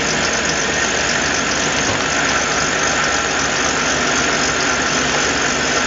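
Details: 1997 Ford F250 HD 2WD, 351W 5.8L multiport EFI, 5-speed, modified MAP-sensor vacuum fueling tweak; loud, raspy, steady idle with deep even burble and open-exhaust hiss, no knocks or misses; engine doesn't burn oil; healthy.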